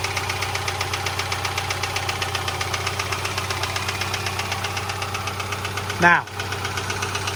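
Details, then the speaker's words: 2010 Subaru Forester 2.5 L EJ25 boxer just after cold start: steady rapid light knocking over even idle; normal boxer piston slap, not rod knock, harmless and fading as it warms. "you hear it obviously you know it may sound uh like an engine knock or if this was another car it would sound you know uh kind of bad but Subarus This Is How They are This Is How They sound"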